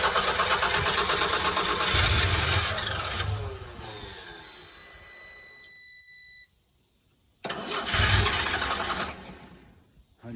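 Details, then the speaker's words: 1989 Ford Ranger started on starting fluid with a jump box and a homemade starter switch after a torn spark plug wire was rebuilt; it fires and settles into a steady, even idle with no ticking, then a brief restart, a normal start and idle. "all right wow she sounds really good no ticking no nothing"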